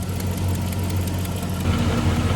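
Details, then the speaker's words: 2003 GMC 5.3 V8 cold start, idling: light quick tapping over low rumble from an exhaust manifold leak with a broken/missing manifold bolt, maybe a cracked manifold; driver's side louder, quieter as it warms. "There might also be a cracked manifold going on here on one side or the other, because it's that annoying tap when you first start it. The one on the driver's side is actually more pronounced."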